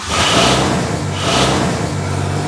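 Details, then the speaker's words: Nissan 180SX, first start after sitting three years, with a straighter exhaust: cranks briefly, catches at once and settles into a steady, even idle with no misfire or knock; normal start. "Mantap. Nyala langsung guys."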